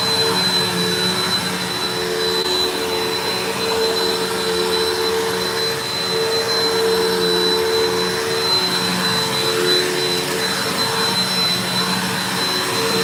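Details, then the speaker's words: Mystery vacuum fitted with a replacement motor bearing from another vacuum, running: steady high motor whine with a sharp piercing tone and rough edge that does not sound normal; cause unclear, owner suspects the bearing, later judges motor not shot. "That did not sound normal. Hold on."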